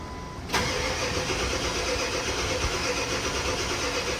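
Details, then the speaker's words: Ford 7.3 diesel after HPOP reseal, fuel bowl delete and regulated return, battery charger on, air likely in oil system and fuel rails/head: long crank then sharp catch into steady, rough, even run, no misses; normal start. "Now we're gonna crank a good bit because we opened the oil system doing the oil pressure, or the high pressure oil pump. And there's probably still some air in the rails and the head for the fuel."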